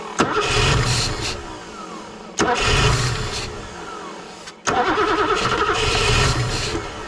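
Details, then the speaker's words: BMW E9 3.0 CSi barn find on its first start attempt in over 20 years, with the perished fuel line cut: three short rough firing bursts, each cutting dead when cranking stops. The owner suspects the spark is lost once the starter is released. "the moment I undo the starter the ignition cuts out uh so the moment I get the starter off the ignition goes"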